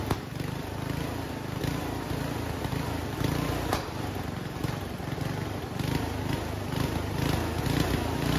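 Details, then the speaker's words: Homemade junkyard go-kart small single-cylinder, after a carburetor clean with the air box off. It runs unevenly, with sharp exhaust cracks every second or so. The owner attributes the backfiring to a lean mixture. "okay well I'd say it's running it's backfiring like crazy which tells me it's running a little lean"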